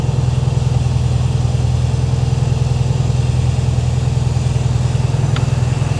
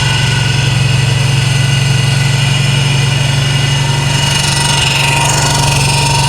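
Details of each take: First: 1968 VW Karmann Ghia, new 1600cc dual-port flat-four, cold idle with oil pressure about 70 PSI: even, steady low putter at about three and a half beats per second, no knocks or misses; healthy cold idle. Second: 1968 VW Karmann Ghia, new 1600cc dual-port engine, cold start on high choke: fast, slightly uneven idle with a lumpy low beat, running rough until warm; cold idle oil pressure about 70 PSI, heat tubes not yet fitted, tuning still needed.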